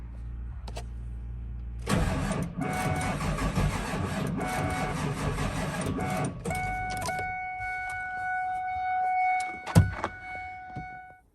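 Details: Ford F550 7.3L Powerstroke diesel, warm around 75-80 degrees, on batteries charged and a 200 amp start booster: starter churns steadily about five seconds, engine never catches, then stops with a chime; crank no-start.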